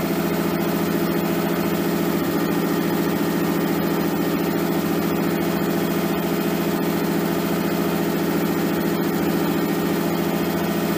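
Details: Nissan 240SX S13 with swapped RB20DET, first start after over a year sitting, once crank angle sensor power was restored: steady, even, smooth low drone at a noticeably fast idle, no misses or knocks. Idle is way too high and AFR unset; it might be burning a little oil.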